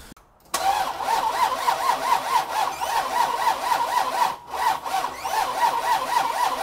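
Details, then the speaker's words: 1978 Chevy C10 pickup with 383 crate engine (about 430-450 hp): steady starter whirr about four turns a second, never firing; hard to start, fouled spark plugs suspected, not confirmed. "w she's trying to come alive yeah i'm surprised at how much trouble it's having starting"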